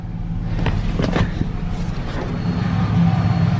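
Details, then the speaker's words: Truck after fuel pump replacement (old pump rotted out): low steady rumble with even idle, no stumbling or surging, no fuel leaks; idling normally. "we have it she's running I don't see any fuel leaks yet that's good"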